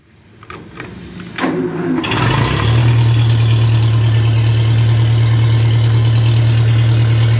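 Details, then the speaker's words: Vintage pulling tractor on regular pump gas with a deliberately loose belt to spare the water pump and generator bearings: a short crank, then it fires right up into a deep, steady, even idle drone. Owner says it always ran really good. Normal idle. "this thing always ran good really good"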